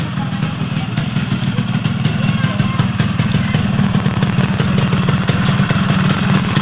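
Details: Yamaha RX King two-stroke after pressing the piston back to cure rough engine noise from the piston: crisp even popping at idle with light revs, no rattle or knock; healthy.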